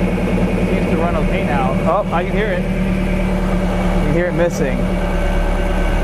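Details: 1999 Lotus Esprit V8 idling with a steady but lumpy, uneven beat and periodic dropped pulses, running on six cylinders; misfire from no spark in two cylinders, traced via timing light and ECU coil outputs to a faulty ECU.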